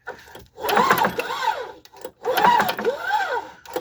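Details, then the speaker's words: Craftsman (Murray-built) snowblower: two rope pulls whirr through freely with no compression chuffs and no firing, though it has spark. Owner feels zero compression and suspects a valve stuck open, not shutting right. No compression. "I bet you this is going to have zero compression. Like zero. I I don't feel anything. My guess is there's a valve that's stuck open."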